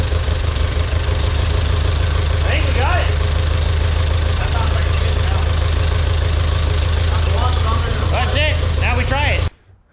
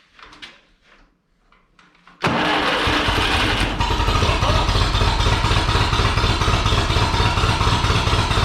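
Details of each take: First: Ferguson TEA 2085 tractor, thought to be a 1951, after fixing an initial backfire; deep, steady low thump at idle, even for ten seconds, no misses or knocks; normal idle. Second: Ferguson TEA 2085 tractor, thought to be a 1951, first start after new spark plugs, points, condenser, wires, cap and rotor; catches and runs uneven, choppy, irregular pops; backfiring, owners suspect something is wrong; rough running on start-up.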